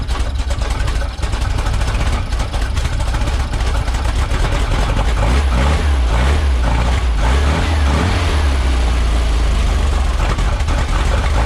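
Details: Cold start of an almost 3-year-old NOCO GB40 jump pack on a carbureted VW 21-window bus that sat about a month: sluggish, uneven cranking for several seconds before it catches and runs rough. The jump pack is weak but still starts it.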